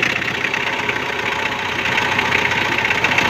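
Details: Mitsubishi L200 power steering pump at idle, fluid at maximum level; a steady harsh high-pitched whine that doesn't ease off, with no fluid returning through the return line, possibly dirty or blocked: noisy power steering pump.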